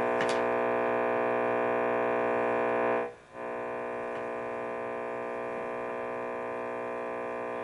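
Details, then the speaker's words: Hughes & Kettner Matrix 100 guitar amp head: a harsh, steady buzz that rises and falls with the master volume, no sound through it, and unlit buttons. Suspected power supply fault. "Well, I think we have probably a power supply issue. That's my guess, because yucky buzzing sounds is usually power supply."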